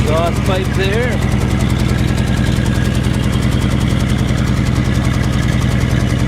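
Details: 1948 Chevy 1-ton truck, 216 inline-six, at idle: deep, even burble, steady low beat, no misses or knocks; runs really nice and smooth, healthy motor.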